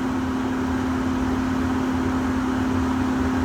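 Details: Furnace blower motor just replaced to fix AC, first start after install: smooth even low hum with soft airflow, no rattle or scraping, sounding better than before; normal blower running.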